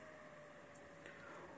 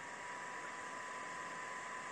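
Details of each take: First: Creality Ender-3 V2 3D printer after silencing its 24-volt hotend radiator and motherboard cooling fans with a transistor wired inline: very faint, even fan hiss with a soft steady hum, no rattle or whine. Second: Creality Ender-3 V2 3D printer, 24 V hotend radiator and motherboard cooling fans on full voltage: steady loud airy whoosh with a thin constant whine, before being quietened by wiring a transistor in.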